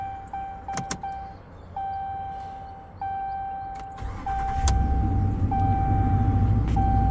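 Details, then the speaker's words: 2019 Ram 1500 5.7 Hemi, after replacing a failing starter that screamed on the bench and forced daily jump starts; charging system good, battery weak. Door chime, brief crank, clean catch and even V8 idle; normal start and idle. "There you have it. A failing starter caused her to have to jump her car off every morning, as she reported, or anytime she wanted to go somewhere."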